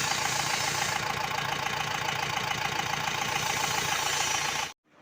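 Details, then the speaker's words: Mahindra Bolero pickup diesel, low pickup, misfiring, late starting, Delphi injector 28535488: rough idle with steady knock about three and a half times a second over harsh clatter; engine not quiet, faulty injector knocking. "गाड़ी heading कर रही है यह देख सकते हैं गाड़ी का इंजन साइलेंट नहीं है"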